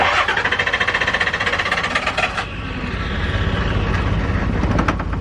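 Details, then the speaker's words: Diesel truck after an injector rebuild, cranked in 40-second purge intervals with starting fluid: fast even cranking, then a brief rougher surge as it nearly catches before fading; glow plug light stays on and owner suspects it is out of fuel. "That wanted to go right there."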